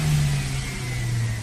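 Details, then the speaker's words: Maruti Suzuki Swift petrol/CNG, after ignition coil replacement for idle hunting, misfire and poor pickup: smooth low hum rising cleanly with throttle, even and free of stumbles; pickup and revving now normal. "गाड़ी बंद, ignition on, engine start, half cell में start, pickup complete, race भी परफेक्ट।"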